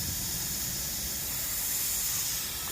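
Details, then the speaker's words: Land Rover L319 whose suspension drops overnight with no fault codes: the removed old air spring, under light air pressure with no engine running, gives a steady sharp hiss as it bleeds down. Air spring leak. "i'm just going to put a little bit you don't need a lot of pressure for you to see the leak right there at the back"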